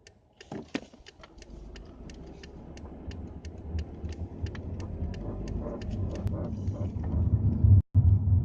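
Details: Sharp, irregular creaks and clicks, a few per second, over low road rumble while moving; creaking noise, source undetermined.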